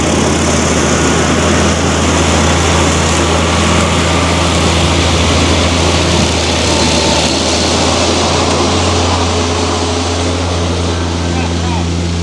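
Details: John Deere F925 mower after the electric clutch and rear main seal were replaced and the belts tightened: steady, even running at constant speed with no knocks, misses or grinding; sounds healthy.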